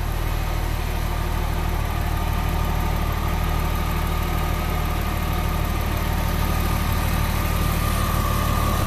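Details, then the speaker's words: 2000 Porsche 911 Carrera 3.4 L flat-six at idle after an AMSOIL engine flush and a change to 5W-40 synthetic oil: a steady, even low hum with no knocks or ticks. It's notably quiet and runs normally. "wow listen to how quiet that is"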